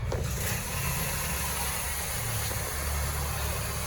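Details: Peugeot 308 after repair of a noisy engine, with the earlier noise now gone; smooth, even idle rumble with no growl or whirring from the pump area, idling as it should.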